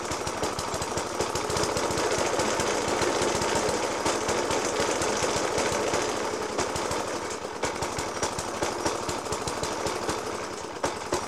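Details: 1991-era Suffolk Punch 30S mower with Dellorto FCH 20 carb, after new spark plug, decoke and carb clean; small thumps at idle with heavy uneven bangs about three a second; rough idle with banging, cause not found.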